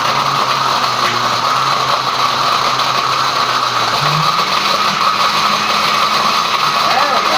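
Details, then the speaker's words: Blender grinding computer scrap plastic to knock pins out: steady motor whine with grinding rattle, pitch sagging about halfway as load builds; motor bogging and getting jammed, little material broken down. "Now we're cooking. Sounds like it's getting a little jammed up there."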